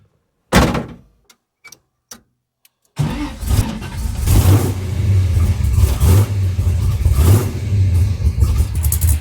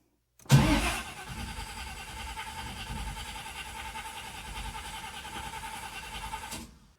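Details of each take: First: 1979 Camaro big block Chevy V8, long unused, started on a sip of two-stroke fuel after the starter solenoid contacts were cleaned. A few clicks, then it catches and rumbles, rising and falling with throttle blips. It runs strong and even. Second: 1979 Camaro big block Chevy, long unused with no tune-up, after cleaning the starter solenoid contacts. Steady, even cranking for about six seconds with no firing. The carburetor is dry, with nothing from the accelerator pumps.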